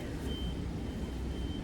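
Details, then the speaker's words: High, thin beep about a third of a second long, repeating about once a second over a low rumble, with a flashing light from NMR spectrometry equipment in a mechanical equipment room; an equipment alarm, cause unknown. "there's a flashing light in there and that little alarm beeping and that's coming from this danger dangerous spectometry and m/r spectrometry"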